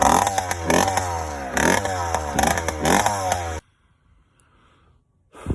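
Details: Yamaha YD100 two-stroke with Dio reed valve and 24mm OKO carburetor, new intake setup: buzzy idle with irregular burbling misses about four a second, running rich and four-stroking; needle later lowered to lean it.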